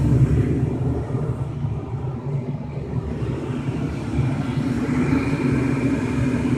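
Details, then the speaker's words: 2005 Lennox Elite series 90,000 BTU gas furnace startup: steady inducer rumble, then a fuller roar with soft hiss midway as burners light and settle into an even burn; normal burner ignition and operation. "i'm sit here and listen for the burners to come on oh and there goes the burners all right there's a little burners"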